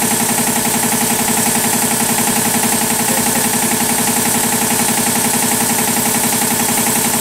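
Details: 40-year-old 25hp American Kellogg 462 air compressor before overhaul: hard even knocking about four times a second while running; rod knock on 3 of 4 connecting rod bearings.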